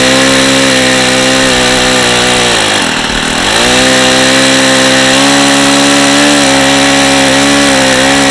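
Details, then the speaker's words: Vintage Saito FA-45 ringless model engine, two-piece head, circa 1983, tired and worn with strong compression, on a test stand with a lightweight prop; buzzy high revs dipping and recovering over a gravelly rattle from really bad crankshaft bearings. "really bad you can hear how bad those bearings are this engine is not in great shape"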